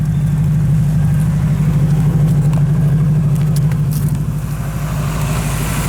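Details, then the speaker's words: Honda Civic with eBay turbo kit, new Mostplus injectors, Kemso 340lph fuel pump, OBD1 ECU with base map, just fired up: steady even low burble, no knocks or misses; normal idle. "the injectors are working everything's going as should"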